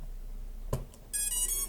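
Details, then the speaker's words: Custom STM32 drone flight controller (MH-FC V2.2) powered on with FS-i6 transmitter off: click, then bright electronic beep about half a second; buzzer pattern meaning transmitter and receiver not connected, waiting for iBus data. "네, 전원을 넣었고 이런 비품이 들리고 있는데 지금 이 비품은 조종기랑 수신기가 연결이 되고 있지 않아서 나는 비품입니다."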